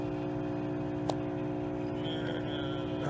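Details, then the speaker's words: Roadside-salvaged microwave test-run with a quarter cup of water: steady loud hum with a rough buzzing tone while running; bad cooling fan, though transformer sounds working. "Cancel. Quit defrost. This one's got a bad fan."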